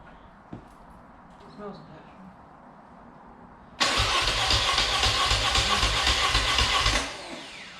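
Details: Dnepr motorcycle after new pushrod seals, gaskets and cylinder base sealing, valve clearances set: quiet, then fast rough cranking chatter near four beats a second that dies without catching; left carb suspected.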